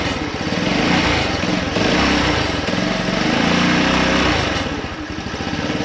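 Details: Honda C90 Cub project bike after carburetor rebuild with all rubber seals replaced, no longer leaking: steady, even putter from the little single holding speed with no misses, pops or knocking; runs fine, normal running.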